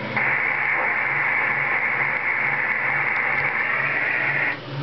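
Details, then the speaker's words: CB radio putting out about one watt; steady hissing whoosh heard after unkeying that cuts off sharply; source unknown, operator suspects a reflection of the signal. "No Doubt hey I hear you out there I can hear that weird whooing noise when I stop"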